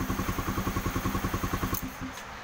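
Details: Honda CB150R after manually cleaning the clogged injector that caused no-start and 12-blink MIL; steady, even putter about ten firing pulses a second, no misses or knocks, then shuts off; normal idle after repair.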